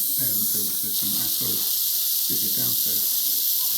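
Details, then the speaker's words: Heating system after new bypass/regulator fitted on hot water cylinder without proper venting: continuous sharp hiss with spluttering bursts as air vents from the radiator bleed valve; system full of air, fixed by bleeding. "yeah on that one as you saw just full of air somebody was there yesterday they installed a new uh like Bypass or regulator on the um on the hot water cylinder but haven't vented the system properly at all"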